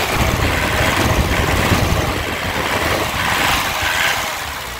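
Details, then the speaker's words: 2008 Isuzu Panther LS Turbo diesel, factory-standard engine, starts on first crank: even diesel clatter at steady idle, no misses or odd knocks, no smoke; normal idle. "Oke kita Nyalakan Yuk kita Nyalakan mesinnya ya sekali cegreng ya langsung nyala mesin cegreng langsung nyala ya"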